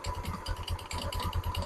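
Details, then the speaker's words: Motorstar Easyride 125 scooter idling with rapid rattling chatter and faint whirr from the CVT case; rusty, dirty CVT parts; pulling away uphill or with a passenger it sounds labored; cleaning tried, parts may need replacing. "ang tunog niya kasin parang owner parang owner na yung tunog niya maging naging four wheels na siya para siyang hindi makaahon o hirap na hirap mag-start yung tunog niya"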